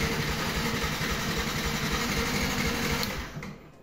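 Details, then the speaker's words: Yamaha YZF R15 motorcycle, no dashboard error codes, fuel pump heard activating at key-on; starter cranks steadily about four beats a second for three seconds without firing: crank no start. "efectivamente no no hace por prender"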